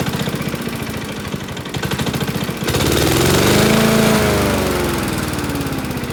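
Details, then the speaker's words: Honda self-propelled lawn mower, about 590 hours: heavy regular knock about four times a second that sounds like a big-end bearing, but is caused by a cracked blade carrier disc wobbling on the crankshaft; the fix is a new disc. "now that causes that whole disk to wobble when the crankshaft and causes that bad knocking noise"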